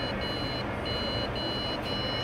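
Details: Old PC at power-on: long high beeps about half a second each with short gaps, repeating steadily; POST beep error, owner suspects motherboard problem.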